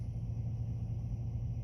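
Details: Engine just started after fuel pump relay jumpered and fuel pressure checked steady with no leaks, five gallons of gas added; steady low rumble with an even idle, no knocks, misses or hunting.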